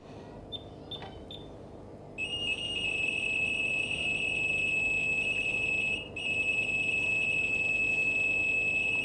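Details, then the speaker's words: LG washer Smart Diagnosis: a few short beeps, then a steady high electronic data tone encoding the stored error codes, played to a phone mic after pressing the temperature button, for decoding by the service centre. "ดังที่คุณได้ยินมาว่าเครื่องซักผ้าทำให้เกิดเสียงชนิดพิเศษซึ่งได้ใส่ไว้ในเครื่องซักผ้าแล้วพร้อมกับรหัสประเภทต่างๆสำหรับข้อผิดพลาดที่แตกต่างกัน"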